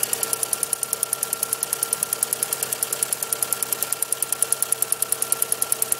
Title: Swift 1997 1.3L ticking noise